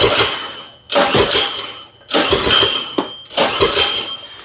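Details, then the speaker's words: Troy-Bilt snowblower engine with a 208cc/170SD-type carburetor, found scrapped at a dump, on slow speed, surging in bursts about once a second and nearly dying; sounds like it is getting too much fuel dumped in, carburetor suspected. "It sounds like sounds like this is just getting a bunch of fuel dumped into it."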